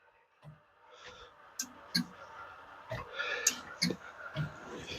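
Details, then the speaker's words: 1965 Ford Thunderbird, heard in the trunk after reinstalling the tail light sequencer: sharp, uneven tick-clunk sounds about every half second. An old-style flasher is suspected, not confirmed; one inboard light is not operating. "can you guys hear the tick Tonk you ready tick Tonk and that's it we got worry noises happening back there tick Tonk tick"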